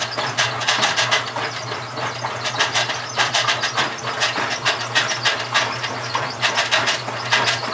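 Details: GE washer model WHDSR315DWW, bought 2006, grinding while running: rough scraping bursts come and go roughly every two seconds; owner suspects the transmission is going bad, unconfirmed.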